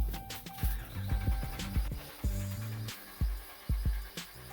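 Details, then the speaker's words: Dodge Durango that won't start: uneven chugging thumps about two a second, briefly catching but never running, with the vehicle vibrating and shaking; the owner fears damaging the ignition coils; cause unclear. "vibrating, shaking. I'm probably fucking my shit up."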